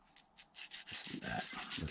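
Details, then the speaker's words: Arrma Mojave 6S BLX RC truck rear hub bearing, hand-spun after cleaning in solution: dry, scratchy, rough rasp instead of a smooth spin, a little gritty and pretty bad; gritty worn wheel bearing, bearings then given an oil bath. "A little gritty. It's pretty bad."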